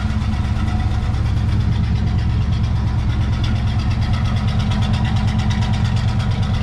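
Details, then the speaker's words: 1970 Chevy C10 305 small-block V8 idling after bent pushrod replaced and new gaskets fitted: steady, even low rumble, no knocks or misses, hitting on all cylinders, good oil pressure; normal idle. "good oil pressures they're pretty healthy there it all sounds pretty sounds like it's hitting on all those Banks over there I think I think that's a good success sounds pretty good"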